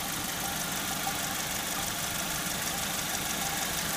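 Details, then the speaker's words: Saturn S-series with code P0440 after cleaning the metal hose into the exhaust manifold: steady idle with a muffled metallic clank about three times a second, like a cow bell, plus occasional gurgling; owner suspects catalytic converter, source undetermined. "sounds like a clank, clank, clank, clank, something clanging."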